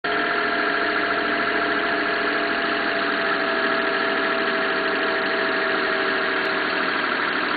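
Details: Mitsubishi Town Box / Minicab with 3G83 engine at idle: steady idle with a busy, tinny rattling (gara-gara) noise over the engine note, cause not pinned down before repair. Engine rattle at idle.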